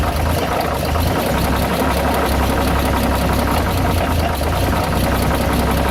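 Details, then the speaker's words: Dodge WC52 engine at steady low idle: dull clacking with a faint rubbing underneath, a mechanical knock; origin unknown. "on l'entend comme un bruit de claquement, de frottement. Quand on prête bien l'oreille. On entend bien le fameux bruit à la décélération."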